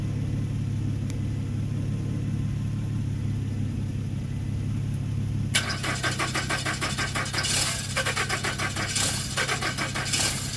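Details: 2013 Nissan Rogue: the starter spins the engine in a steady rapid chug but it never catches. Crank no-start; the scanner found the ECM not communicating, battery measured 2V and was replaced to continue testing, and the fuse and IPDM voltages were being checked.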